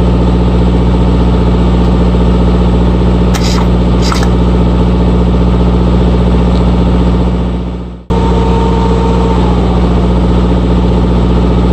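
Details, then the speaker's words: RigMaster APU diesel that showed "failed to start" for days, fixed by repairing an open circuit at the fuel solenoid wiring connection, with cracked fuel hose trimmed; now a steady drone at constant speed, even pulse, no stumbling. Normal running. "Always check the connections. I've been fiddling around with this for 2 days, and finally stumbled upon the problem."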